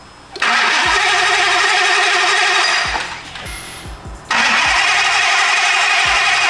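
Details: Hellcat Redeye-swapped Dodge Viper, fresh dry engine: starter cranks by itself with key on and won't shut off, voltage dropping to 9-something; fast steady starter whir, brief pause, resumes, engine never catches.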